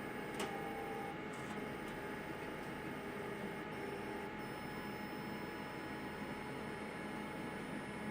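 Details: XR-640 after repair, recorded November 28, 2018: a steady electrical hum with faint, irregular clicks that come and go; the noises returned after repair, same as the previous day.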